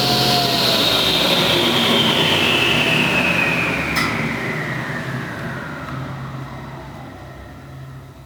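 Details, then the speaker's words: Restored 1987 Delta Unisaw table saw with a 3 hp single-phase motor and new arbor bearings and belts; a clean high whine falls smoothly as the blade coasts down, with no grinding or rumble, and the bearings sound healthy. Normal running. "This is a beast of a 3 horsepower single-phase motor. I changed the arbor bearings and the belts."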